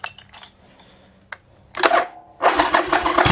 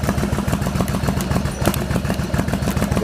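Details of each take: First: Yamaha Virago XV1100 with years of occasional coughing and spluttering on one cylinder, just after replacing regulator rectifier, in garage; cranks briefly, catches, settles to steady even V-twin lope with no coughing or spluttering; healthy start and idle. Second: Yamaha Virago XV1100 V-twin idling: lumpy idle that after a while coughs and splutters on one cylinder, charging dropping from 13.6 V to about 12.5 V when revved; intermittent misfire traced to a faulty regulator rectifier.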